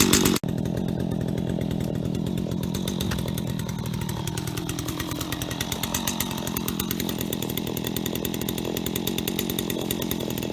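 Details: Stihl HT75 extendable pole saw bought at auction, cleaned and refuelled, chain sharp: strong steady high-revving buzz holding speed evenly under load while cutting wood, no bogging; normal healthy cutting.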